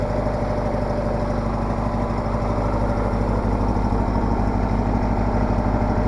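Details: Case 446 garden tractor with an old Onan twin, started cold at about 35°F right after an oil change and new E3 spark plugs: a low, even putt-putt at about three beats a second with no misses or hunting, a smooth, healthy idle.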